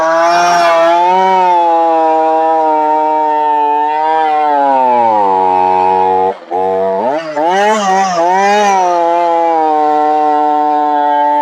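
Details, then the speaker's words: Chainsaw before switching to Cerma products; high buzzing revs sag, cut out briefly and stumble back unevenly, bogging down quite a bit instead of holding speed. Saw then cleaned and changed to Cerma oil. "as you can hear it didn't do real good bogged down quite a bit actually"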